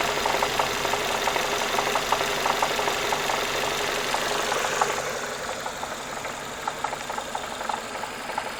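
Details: Renault Megane 2, hot engine, knock appearing on throttle lift-off and at steady revs while driving: sharp regular ticking knock about four per second over steady idle, softening a little later; internal engine knock, cause unclear.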